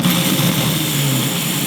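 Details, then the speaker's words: MG starter motor powered directly, bypassing the solenoid: a smooth, steady, even whirr with no drop-outs or dragging; normal starter motor run. A commutator dead spot can still cause intermittent no-start. "sounds good normally I would do this test 20 times if it if it passes 20 times it's going to work in the car"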